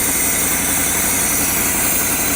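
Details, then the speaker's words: 1996 or 1997 Lexus LS400, first run after sitting abandoned for about 10 years, burning oil off the valve covers: steady, slightly high idle with a hissy, uneven rumble; one cylinder misfiring and a massive vacuum leak. "It's, aside from the one cylinder misfiring, it's not running poorly. Idle's a little high. It's got a massive vacuum leak,"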